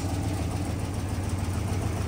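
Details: 1964 Ford F-350 after new water pump, radiator and temp gauge, idling: steady, even low rumble without skips or knocks, no water leaks; smooth, healthy cold idle.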